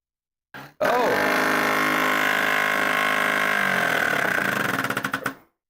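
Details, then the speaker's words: Prusa MMU2S clone on Voron Switchwire under Klipper, homing: harsh buzzing drone with rough pulse about four times a second from the selector drum; owner suspects motor skipping, unconfirmed; loud buzzing from selector drum. "yeah it's the it's this drum that's making all that noise I believe the the servo skit the servo the motor skipping"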